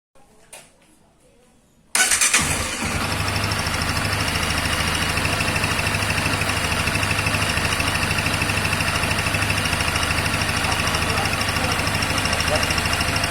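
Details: 2021 Honda Twister motorcycle: starts on the button, settles to idle with a fast even tick about three a second over the engine; strange noise, cause unclear.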